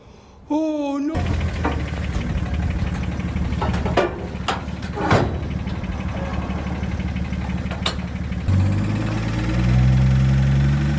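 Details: 2013 BMW X5d diesel, parked by its previous owner after a severe knock appeared, idling with a steady knock on its low rumble, from a faulty fuel injector.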